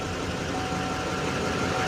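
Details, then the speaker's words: Duramax diesel pickup with front-end damage, listed start-but-not-drive, just started on a low-looking battery: steady even idle with smooth low rumble, no knocks or misses, no check lights; sounds good, normal diesel idle. "sounds good too"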